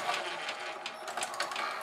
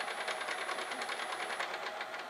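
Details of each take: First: GoVideo DVR4000 DVD-VCR, top off, tape inserted at power-on: light uneven whirring and clicking as the mechanism stutters, spills tape and won't eject; barely any take-up torque, drive gear cracked and detached from clutch. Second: GoVideo DVR4000 DVD-VCR after repairing a cracked take-up drive gear detached from its clutch with hot melt glue, tape loaded: steady light whir with soft regular ticking about twice a second; normal, smooth fast-forward.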